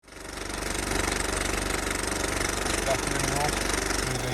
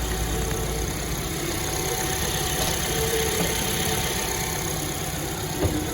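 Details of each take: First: Suzuki Ignis, engine running: a steady whirring under the even idle that holds its pitch, caused by worn water pump bearings; the water pump was replaced. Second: Suzuki Ignis after its worn, whirring water pump was replaced and coolant topped up: a smooth, even idle with a soft, steady hum and no whirring or grinding from the front of the engine. Normal idle.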